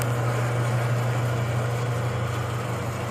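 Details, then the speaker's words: Brower seed/feed mixer with Ajax 3-phase 208/230/460 V motor on 220 V single-phase via phase converter, in exceptional condition: steady low even-pitched hum, no knocks or rattles; normal motor hum. "The unit just hums right along with no irregular noises. This unit is in just exceptional shape, ready to run condition."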